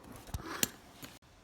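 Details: Polaris 300 ATV on the starter button: three sharp solenoid clicks with no cranking; test light confirmed the starter solenoid passes power, so the starter motor itself is faulty and being replaced.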